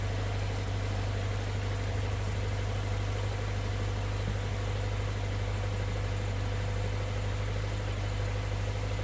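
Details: Toyota 86 / Subaru BRZ / Scion FR-S petrol boxer engine at cold start idle: steady idle with a light, rapid knocking running under the low drone.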